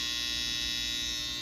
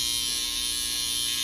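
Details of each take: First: Babyliss FX trimmer after loud-noise fix, cutting hair: steady even high-pitched buzz, no rattle or rising tone; runs smooth and quiet, normal. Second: Babyliss FX trimmer, loud and not cutting hair, before replacing the whole blade kit: loud, harsh high buzz with a rattling edge compared to a brand-new unit, which points to a bent blade.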